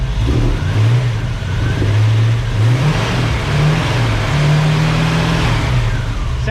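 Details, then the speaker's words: 1965 Ford Mustang with new Speedmaster heads, first startup, running under 10 minutes: smooth full engine note with light revs, lifter ticking gone after lifters quieted; normal running. "all righty we've had it running for less than 10 minutes the lifters have quieted"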